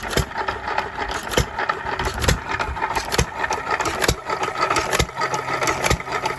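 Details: 3 1/2 hp small-block Jaeger engine, previously stuck, running after reassembly: sharp, regular single firing pops about once a second over light mechanical clatter; normal running.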